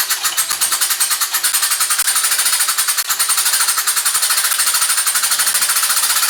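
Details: Rescued engine rebuilt with donated parts, timing correct, 40 psi oil pressure: hard rapid metallic clatter, about ten even raps a second; heavy knock at number one cylinder, suspected wrist pin, not confirmed.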